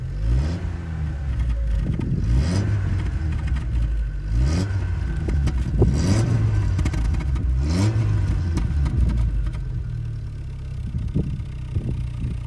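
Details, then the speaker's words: 1980s Proton Saga with five-speed gearbox, heard from outside: engine revs up and drops back smoothly several times, even clean note with no knocks or misfires; remarkably quiet from inside the cabin. "it's remarkably quiet actually from inside the cabin so give it a little rev so you can hear what i'm talking about"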